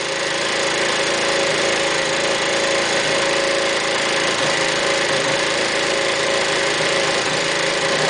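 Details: 2002 Aprilia SR50 DiTech two-stroke on a lift table, wide-open-throttle test for sudden power loss above ~30 mph blamed on fuel line pressure drop (7.5 to 5 bar); steady high-revving buzz held flat out, harsh rattle from the table, pulls cleanly.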